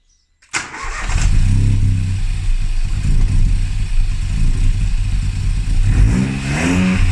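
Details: Classic Mini with a swapped modern boosted 3-cylinder engine, after adding an emulator that feeds the ECU the RCM no-crash signal: it catches quickly, settles into a steady rumble, then rises cleanly with throttle without stumble or misfire; first successful start.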